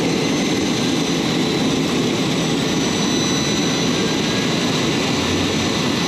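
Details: J79 jet engines on a ground run after refuelling and fixing leaks, to verify the leak repairs; smooth constant rush with a fixed high whine, no pulsing or roughness. Normal, healthy jet engine idle.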